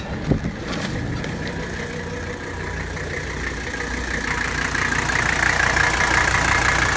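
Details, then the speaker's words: 1983 Mercedes 123-chassis diesel with 135,000 miles, idling after an AC compressor replacement and recharge, AC on high: even, steady clatter with the blower rising behind it; it starts like new and runs smooth and healthy. "listen to that thing 1983 boom starts like an old diesel like it was brand new that's only 135 000 miles this could go another 400 000 miles no problem"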